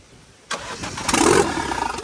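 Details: Vauxhall Corsa VXR replacement engine, after the whole wiring loom was replaced the next day: the starter catches and the engine fires, settling into a rough but steady idle; a healthy start, running spot on.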